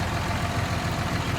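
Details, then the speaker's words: Ford F550 with 5.9 Cummins common rail swap after cleaning clogged fuel filters from rust-contaminated fuel: steady low idle, FASS lift pump no longer buzzing loudly; fuel pressure still somewhat low. "don't hear the uh fast pump buzzing loudly anymore I guess that was my problem bro"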